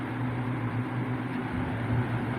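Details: 2006 Lasko 3733 box fan, about 17 years old, restored and serviced with no oil wicks, gives off an odor after long running: steady low motor hum with soft, even airflow hiss and no ticking or scraping; normal running.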